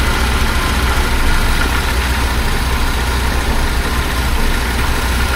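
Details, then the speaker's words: 1976 BMW 2002 (E10) M10 engine with a new Weber-style carburetor and newer coil idles smoothly at about 790–800 rpm before full warm-up; earlier clicking has gone away on its own. Normal idle. "And it's idling about 790 or 800, between 700 and 800. So I could turn that down a bit if I needed to, but I'll just ignore it for now."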